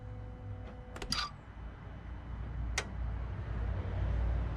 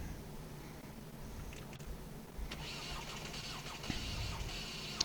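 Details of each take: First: Ford/PSA TDCi/HDi diesel restarted after injector seal replacement (combustion gas had blown past the seals); air in the fuel system, tone changes as fuel pumps through, then it catches and settles into an even, low idle without misses or knocks: normal. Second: Ford/PSA TDCi/HDi diesel starting right after injector seal replacement: starter churns and engine labors without catching, tone shifting as fuel pushes through, from air trapped in the injectors and return line; it then starts without bleeding.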